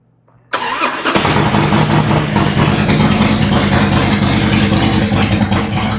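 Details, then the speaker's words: 2003 Harley-Davidson Road King 100th Anniversary, first start after new headers, Andrews 26A cam and freshly written ThunderMax settings: catches on the first crank and settles into a loud, steady, even V-twin idle, no knocks or misses, still stabilizing; healthy start. "This thing's really loud. I don't know if you can hear me."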